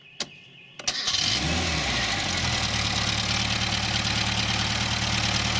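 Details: Fibreglass car started from five 500F 2.7V supercapacitors in series (13.5V, alternator about 13.8V): a couple of sharp clicks, brief crank, catches within a second and settles to a steady, even idle; a normal start.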